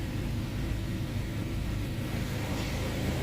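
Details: Honda Prelude SH raised on a jack, running in fourth gear: steady deep rumbling roar from the spinning wheel, a worn wheel bearing. The ATTS unit is also suspected, and the bearing and lower ball joint are to be replaced.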